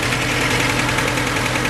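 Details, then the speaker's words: 2006 Mercedes A150 W169 petrol idling: lumpy uneven beat as cylinder 4 drops out despite fuel, spark and compression present; cause was open circuit in the number 4 injector wire, fixed by bypassing injector wiring. "there is fuel because all the other cylinders work, and I know there's compression because I checked, but still it's misfiring. Really strange."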